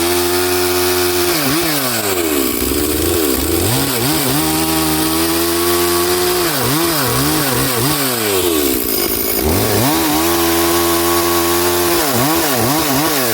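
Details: Stihl 440/460 hybrid chainsaw on its first tank of fuel after a rebuild, rings still bedding in; at full throttle it revs with a burbling, broken note, four-stroking because the carburetor is set quite rich.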